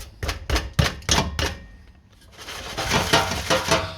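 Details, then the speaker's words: Rover 620 rear exhaust box, downpipe, catalyst and centre section replaced months earlier: loose irregular tinny metallic clattering over the exhaust note from collapsed internal baffles, which have blown baffle and insulation out; rear box to be replaced. "The internal baffles have collapsed in the back box, and it's fired a load of baffles and insulation and all sorts of stuff out of the back."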